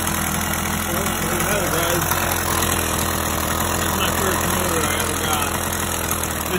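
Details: 50cc single-piece-jug two-stroke motorized bicycle engine, about 3,000–4,000 miles, cold day, just richened after the clip was moved, ticks over with a steady buzzing putter, no misses, surges or knocks; healthy normal idle.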